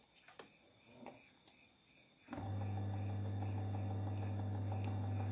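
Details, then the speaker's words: Miyako electric fan after service for a seized motor that only hummed, fixed by lubrication, running on speed 1: a few light clicks, then a steady, even motor hum without wavering. "alhamdulillah kipas sudah menyala dengan normal ya teman-teman kita coba speed 1"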